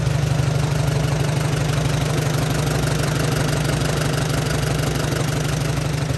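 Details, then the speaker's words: 1944 Allis Chalmers B tractor, back running after sitting many years, idling while warming up after fresh engine oil was added; steady, even low thump about two beats a second with no knocks or rattles, a smooth idle. "so let's start this thing up um let it warm up let the oil get good and circulated and then we'll check the levels again and move on from there"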